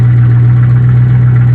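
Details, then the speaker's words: 1994 Chevy truck swapped to a 1984 7.4L big block V8, hot, at about 180°F. Loud, deep idle with a heavy low drone and no misses, because the broken exhaust pipe leaves it unmuffled. "let me go ahead and start it up real quick before I ramble on for too long and the exhaust pipe is still broken so it's gonna be real loud but should be alright"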